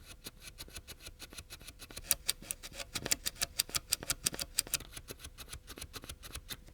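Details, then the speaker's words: Early Commodore Amiga A1000 keyboard switch, mic close in: key presses about three per second give crisp clicks with faint scratchiness left after DeoxIT around the stem; switch much less scratchy and its constant clicky noise stopped. "Okay, quite quickly, it got way less scratchy. It's still scratchy, but not as bad. and it stopped making that clicky sound."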